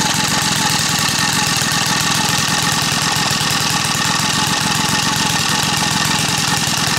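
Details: Small single-cylinder gas engine staked down outdoors, running with sugar added to its fuel tank: loud, rapid, even putter holding steady speed with no misses or stumbling. Still running normally.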